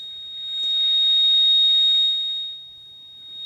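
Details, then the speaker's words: Radio receiver on lower sideband, ground-plane antenna, about 10 dB: clean unwavering high whistle over faint hiss; steady carrier of unknown source and direction. "that's a just a flat tone being transmitted out at ndb's of my ground plane out there so I don't know which direction it's coming from"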